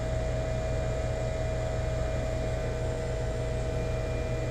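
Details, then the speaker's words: Rheem EcoNet 3-stage inverter system, newly installed, running at high speed: steady fan rush with a thin constant inverter whine, no rattles or cycling; normal inverter operation, quiet overall. "oh yeah we're definitely in high speed now in here going you can hear that whine of that inverter going"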